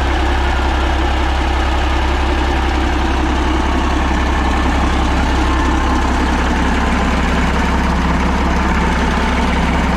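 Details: Caterpillar 3406A diesel that had sat a while, started with hand primer bypassed and no coolant, about 50–60 psi oil pressure: deep, strong, even idle with no knocking or miss; normal idle.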